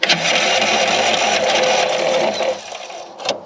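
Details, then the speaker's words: Old Craftsman LUV (Lawn Utility Vehicle) riding mower, non-runner, fired on carb cleaner and starting fluid: engine catches and buzzes about two seconds then fades and quits, starving for fuel; fuel starvation. "pull the choke that's a good sign all right hopefully it'll start pulling some fuel through there"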